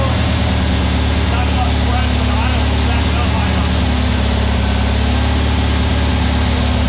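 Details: New VW Beetle 1679cc single-port flat-four, Scat C25 cam, dual Empi ICT carbs, first fire-up during 20-minute cam break-in: smooth steady low drone, even beat, no knocks or rattles; timing spot on, no leaks, carbs need tuning; normal running.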